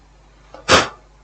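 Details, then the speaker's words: 21-inch 12 V DC LED TV that was stuck on standby due to a faulty power switch button; after the switch fix, one crisp, clean click with no crackle. The switch works normally. "We now have, you can hear it's clicking. We now have a good switch."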